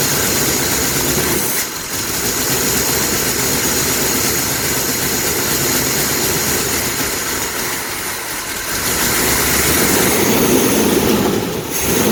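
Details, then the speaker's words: 1982 Pontiac Firebird 5.0 V8 first run after 22 years stored, following a carburetor rebuild, new fuel pump, plugs and wires; it runs at a fast idle with a hissy rasp and slow surges in level, no clear knock, with dirt blowing out. "oh they ran man there's all kinds of dirt was coming out of it"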